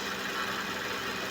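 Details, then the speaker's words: Suzuki Vitara idling after power steering fluid foaming fixed by cleaning the reservoir tank and very dirty strainer and replacing the fluid: smooth steady drone with no pump whine or groan; steering pump runs quietly, performance improved. "So ngayon bago na at ah may pagbabago naman sa performance ng power steering. steering pump niya."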